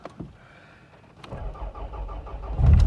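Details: Toyota Celica GT4 ST185 JDM, about 80,000 km, starting on a new Bosch battery during restoration: brief crank, catches quickly into a steady low idle; normal start.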